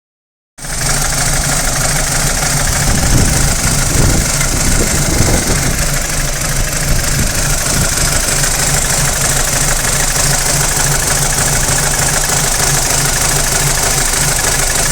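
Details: BMW 320i E90 N46 with new timing chain, guides and tensioner: warm idle gives busy metallic rattle and uneven stumbling misfire, only warm not cold; VANOS unit or solenoid suspected, not confirmed.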